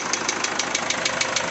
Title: Isuzu 4JH1 Engine Knocking Sound